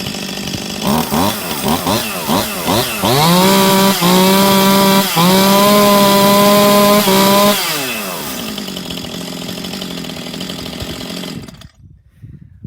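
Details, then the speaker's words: Easy-pull chainsaw after repair, previously bogging under throttle and under load, with carbon cleaned off the exhaust/muffler: a few sharp blips, then a clean, steady high scream held for seconds before easing down. Normal running; problem seems fixed. "seems to be running strong. Sounds great. I think we fixed the problem."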